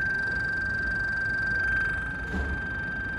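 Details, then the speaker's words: An Insta360 Ace Pro action camera froze mid-recording and won't let record be pressed. It emits a thin, steady high-pitched electronic whine near 1.5 kHz over faint hiss; cause unknown. "It's not letting me press record and it's just making this weird noise."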